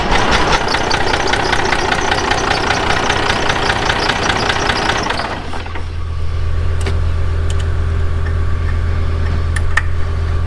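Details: Cummins 12-valve diesel in a Dodge dually project truck, first crank: clatters at idle, shuts down briefly and restarts, beat stays uneven and lumpy; one cylinder suspected not firing. Rough idle.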